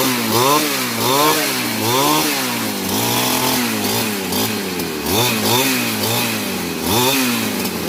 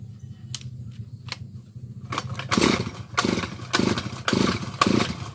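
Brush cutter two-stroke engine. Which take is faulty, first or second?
second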